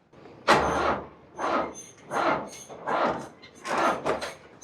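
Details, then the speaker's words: Old farm backhoe that is hard to start after sitting, cranked with a NOCO GB40 jump starter: starter heaves the engine over about once a second in labored, uneven bursts and never fires. Slow cranking, not enough battery power. "So I can tell it tries to turn over a little bit faster, but again, it needs way more power to get this engine to turn over."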